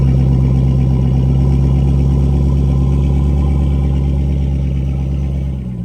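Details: Dodge Charger/Chrysler 300 5.7 Hemi at idle, before repair, with warped exhaust manifold despite new gasket and tightened bolts: sharp rapid puffing tick in time with firing pulses over the idle rumble; exhaust manifold leak.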